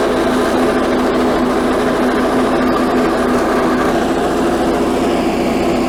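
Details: 1984 Workhorse GT100 with stock 212 Predator single-cylinder swap, mowing via factory PTO deck; even steady drone holding constant pitch under mowing load, no misses or knocks; healthy engine under load.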